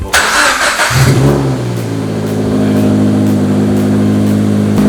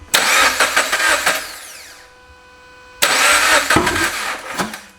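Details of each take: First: Scion FR-S/Subaru BRZ/Toyota 86 after Stage 2 clutch install and refitted exhaust/downpipe, first start: catches after short crank, flares up, settles into smooth even idle with steady drone, no knocks or rattles; normal start and rev. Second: FRS/BRZ/86 first start after a stage 2 clutch install: two short starts, each a rough, blatting burst of firing that quickly cuts out; cause unclear, possibly something not hooked up, later traced to the clutch not being right.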